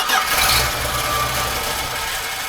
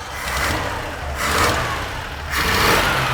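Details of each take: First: 1980 Dodge D150 after a new fuel filter, with fuel poured down the carburetor: a short burst of cranking that fades without catching, then it dies, possibly while the float bowl is still filling; the cause is suspected, not confirmed. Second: 1980 Dodge D150 truck, warming up: three quick throttle blips, each rising and falling cleanly without stumble or pop; sounds pretty great, normal revving.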